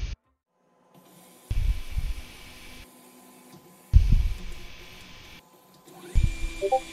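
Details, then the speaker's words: Ender 5 3D printer with MKS Gen L board and TMC2208 stepper drivers, homing noise test: short buzzing whir bursts as each axis moves, then pauses; normal stepper noise, about halfway between A4988 and the same drivers in stealthChop. "in terms of noise I'd say about halfway between eight four nine eight eight and these same drivers in stealth mode"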